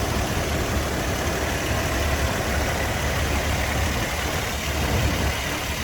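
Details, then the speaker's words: 2007 Toyota FJ Cruiser with 345,000 miles, just started, idle with no vibration: steady, even, smooth quiet hum, lifters quiet, no knocks, ticks or misses; normal idle. "that's Rock Solid absolutely Rock Solid no adverse noise sounds like a brand new engine as far as I'm concerned"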